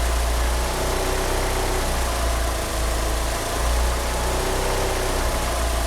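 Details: An engine fitted with 850cc injectors is unable to rev up; its idle swells and sags every second or two, with a slipping steering pump belt also present; the cause is not confirmed: rough idle.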